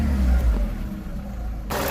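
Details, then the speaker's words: VW Golf Mk5 1.6 after misfire repair (new plugs, HT leads, coil pack; faulty injector wiring found on one cylinder): short rev rises and falls smoothly with even note, no stutter, running cleanly on all cylinders. "and we found that on this cylinder here in the injector that these wires miss. So, yeah, it seems to be running nicely now. Happy with that."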